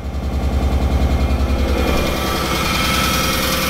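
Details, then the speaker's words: The 300, first start after being retimed: lumpy, uneven idle with a regular stumble about three times a second; one cylinder dead, misfire later traced to a broken injector wire. "man he is not happy I mean this isn't this she is she does not sound happy and I don't know why"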